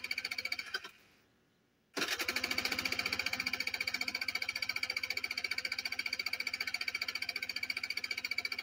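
Even starter chug at about three beats a second, a brief pause, then more cranking that never catches; the engine turns but won't fire.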